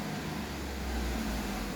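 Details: Fiat Argo idling after cleaning and reassembling the engine oil vapour breather, fixing a whistling, train-horn-like noise attributed to a torn diaphragm: steady, even idle with low hum, no whistle or honking.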